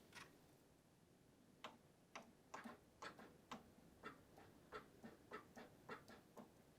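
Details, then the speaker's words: Saab 900 Turbo Commander, first start attempt after 10+ years parked, in neutral: faint uneven clicks about twice a second from inside the car, no starter whir; starter not engaging, key found disconnected from the ignition barrel. "Something is clicking in the interior, but the starter engine doesn't seem to engage."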